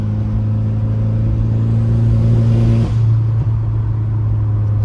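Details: VW/Audi-type car at full throttle in 4th gear with a misfire over 25% throttle or under load; a new fuel pump and PCV fix did not cure it, and race coil packs were installed. The steady drone stumbles and sags near three seconds: boost leak from a popped charge pipe coupler.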